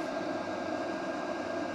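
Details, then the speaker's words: Vevor 12 V 2500 W pure sine DC-to-AC inverter, fans kicked in after running past rated load (~2,861 W, ~225 A from battery): soft steady airflow whoosh with faint hum, no rattle; adjustable fans quiet. "So, I'm actually behind the fans. Like, if I'm off to the side, you can hear how quiet it is."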